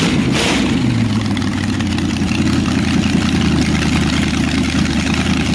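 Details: 400ci small-block Chevy auction find, timing set, good oil pressure: steady even low rumble, revs briefly on throttle cracks and settles, no knocks or misses; healthy normal running.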